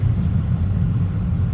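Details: 2024 Tesla Model 3 Performance cabin at road speed: the dash rattle near the LED strip is silenced while the panel is held, leaving only steady road rumble; the fix was foam pushed in above the LED strip.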